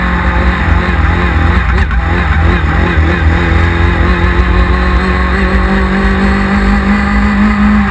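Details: 1999 Yamaha R6 riding at high revs: loud, uneven stumbling drone with irregular breaks in the note; engine misfire under load.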